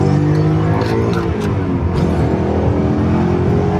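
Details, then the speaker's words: 17-year-old BMW E39 M5 V8 with 226,000 miles, Dinan-modified with the rev limit raised and a hard clutch, full-throttle launch: smooth, evenly climbing V8 with clean deep breathing, pulling hard above 3,500 rpm; healthy. "Okay. That really pulls hard above that 3,500. Oh yeah. I'm telling you, it feels like a turbo."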